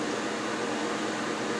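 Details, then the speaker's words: Soleil space heater after dropped unit's broken fan blade repair, running with heat on: soft steady airflow whoosh with faint constant tone, no wobble, ticking or rubbing; fan runs normally. "I can feel the heat you can hear the fan it's not wobbling off the table so that's good"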